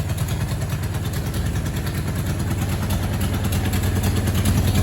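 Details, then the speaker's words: 1982 Suzuki GS1100 four, first start in over 20 years, carburetors choked off with taped cardboard, still cold: uneven but steady low thumping idle, slowly firming up without stumbling; running fine. "we're gonna see if that works [Music] okay go it worked she's even idling boys"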